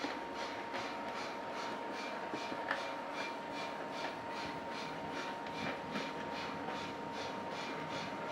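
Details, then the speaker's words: American Flyer Berkshire model locomotive running on track after smoke unit repair, smoking well, tender absent: even rhythmic wheel clatter about once a second over a light steady motor hum; runs smoothly, normal running. "Unfortunately, he did not send me the tender, so I can make sure the sounds and everything is working as it should, but we're going to run it around the track. Smoking pretty good."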